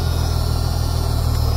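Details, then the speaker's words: Jeep Cherokee 4.0 inline six that previously misfired on cylinder 6 when hot, after Mystery Motor Oil treatment, now warm: steady, even low hum with no stumbles; idling smoothly, buzz from a bad motor mount. "So it's hot right now. I made sure that I got it a little bit warm. Idling nice."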